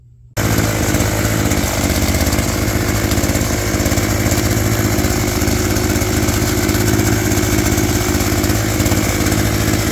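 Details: Old two-stroke hedge trimmer revived with on-hand parts, new cut air filter fitted, cutting bush: steady buzzy high revs without misses or surging; noisy, vibrates a lot, blade a little dull, but runs properly.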